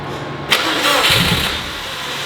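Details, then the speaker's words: STI-swapped turbo Subaru 2.5RS on its first start attempt: cranks, then coughs with a ragged uneven roar but never settles, flooded; the injectors dump fuel and it tries to start even with them disabled, so fuel is pulled from the base fuel table. "I'll try pulling fuel out. I think it's got way too much [ __ ] fuel right now."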